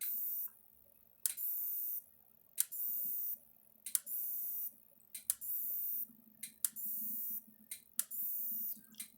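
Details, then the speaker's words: Repaired Maxim M5-50 electric fence energizer on its first power-up: sharp ticks about every 1.4 seconds, each with a high hiss, light flashing; normal pulsing, about 7,000 volts output. "All right, you hear it clicking and stuff. The light's flashing, you can hear it clicking."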